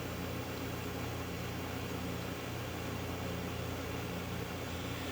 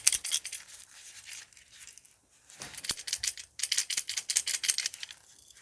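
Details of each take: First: Whirlpool refrigerator, after replacing the bad start relay: with power reapplied, the compressor hums quietly and evenly with no clicking and runs normally. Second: Start relay removed from a 15 to 17 year old Whirlpool refrigerator and shaken: dry, fast metallic rattling of damaged, loose contacts; the fix is replacing it with an RCO 410 3-in-1 start relay/capacitor.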